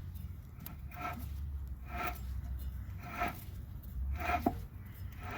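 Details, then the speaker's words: 2014 Jeep Patriot 4x4 rear wheel bearing, removed with backing plate and turned by hand: rough, gritty grinding about once a second from the worn, stiff bearing that caused a loud hum while driving. "it's really hard to move this and you can hear that grinding in there that's what that noise is coming from that grinding in there that wheel bearing should not make that noise"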